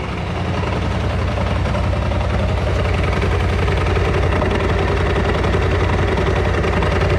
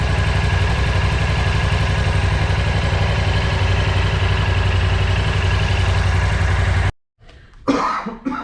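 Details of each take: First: Freshly bought BMW C650GT scooter in for transmission noises: loud, rough idle with heavy rhythmic knocking about two to three per second, louder than its usual noise. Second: Freshly bought BMW C650GT scooter with a leaking oil seal, run and warmed up: smooth, regular idle beat with no tapping or rattle, then shut off; earlier noise gone, engine apparently fault-free, problem is in the transmission.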